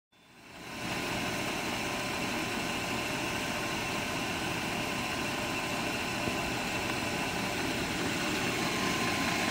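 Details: 1997 BMW 540i M62 V8 at steady idle with a dense, busy metallic top-end clatter; owner suspects timing chain rattle, not confirmed.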